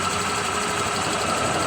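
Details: Honda Click 125 version 3 scooter, 26,900 km: fast light ticking over steady idle; mechanic diagnoses worn cam chain tensioner, not the owner-suspected torque drive bearing, which is quiet; lifter and tensioner to be replaced.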